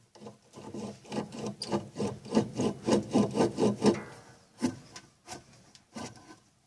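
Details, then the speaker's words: Electrolux washing machine that makes a strange noise and won't spin, belt removed, motor turned by hand: rough rasping grind about four strokes a second from failed motor bearings; motor itself not burnt. "pessoal vocês estão entendendo o barulho o que você está ouvindo e que esses rolamento estão tendo cada um"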